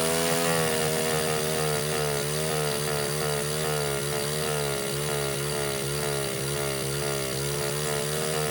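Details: Baja 49cc mini bike, long-sitting auction buy, during carburetor rebuild: small engine howls at steady high revs with a slight waver and never drops back; stuck wide open, won't idle even with throttle screw unscrewed. Owner suspects air intake, unconfirmed.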